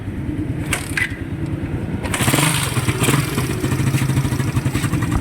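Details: Raider 150 motorcycle engine after a refresh where the timing chain was replaced and a valve was swapped without proper work: loose, uneven clatter and ticking at idle and throttle blips; top-end noise persists, exact source unclear.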